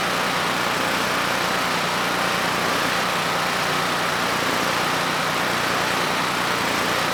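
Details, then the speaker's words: Generac GP5500 generator (low compression) back on its first carburetor with the vacuum leak and fuel leak fixed; started first pull, choke off after about 10 s, under a 1500 W load: steady, even note, no surging or misses, running smoothly. "You know, the engine ran nice and smooth. I then applied a 1500 watt load and things continued to run well."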